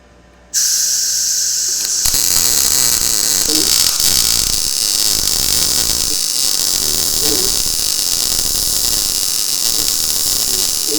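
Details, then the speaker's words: Blue Demon 140MSI MIG welder on really thin steel, automatic voltage, gas turned down slightly, wire speed raised: steady even bacon-frying crackle without sputter or popping, a healthy well-set arc, no holes blown. "here's here's what we're getting here I mean it's welding this really thin steel or really nice"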